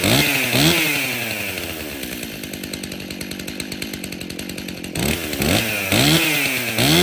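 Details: Stihl MS261 50cc M-Tronic chainsaw before service, on fresh fuel: revs up sharply in short bursts, then settles into a rough, uneven lope about two beats a second; runs lean at high speed.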